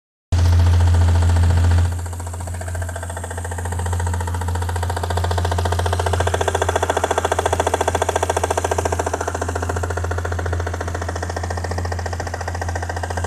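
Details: Toyota 1JZ-GTE VVT-i engine at warm idle: steady rhythmic tapping, roughly three or four per second, over the engine note; an engine knock of undetermined source.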